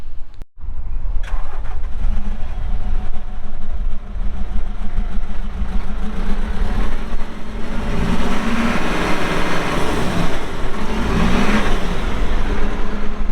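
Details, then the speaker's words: 2014 Kawasaki 65TMV wheel loader with a pre-emissions Isuzu diesel, 149 hp, 7,671 hours: fires quickly and settles into a steady, even run with some revving under load, no knocks or misses; normal diesel running. "Isuzu diesel engine it's got brand new tires all the way around air ride seat radio 149 horsepower 7,671 hours starts up good runs good"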